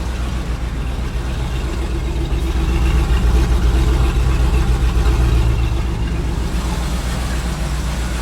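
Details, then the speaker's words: 2001 Land Rover with a misfire at idle after a spark plug check: a lumpy, uneven low thump of about four beats a second that stumbles now and then. The mechanic suspects plug wires, not the coils; the cause is unconfirmed. "freaking plug that back in there and see if it starts and runs so kind of sounds about the same definitely misfiring"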